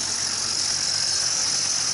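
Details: 2003 Duramax rollback, first start after fitting new belt-driven hydraulic pump, idle with no load: constant high hiss-like whine; belt aligned and not slipping, owner dislikes noise, likely the new pump, cause unconfirmed.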